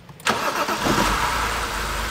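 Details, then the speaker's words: 2007 BMW 328i with crank/no-start, spark confirmed, pressurised fuel (65 psi) fed from an external rig: the engine catches right away and settles into a smooth, steady idle with no misses; starts and runs normally. "and she's purring like a kitten"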